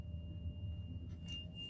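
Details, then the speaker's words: Old school bus number 12 with air brakes, idling, while purging (draining) the air tanks: steady high-pitched tone over low diesel idle; low air pressure warning triggered at 60 psi, with flashing light. "And you drain the tank until you hear an audible alarm and a flashing light at 60 psi. There it is. That is an indication that our air brake system is low in air pressure."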